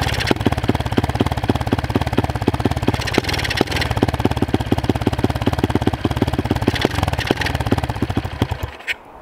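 Choppy single-cylinder beat at roughly three pulses a second, firing unevenly and stumbling before it dies; it is misfiring and cutting out. Cause suspected, not confirmed.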